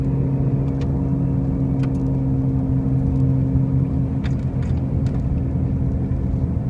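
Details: 2005 Pontiac Grand Prix with brand new wheel bearings and new tires: a steady low drone with a constant hum under the road rumble while cruising; a loud noise while driving, source unclear.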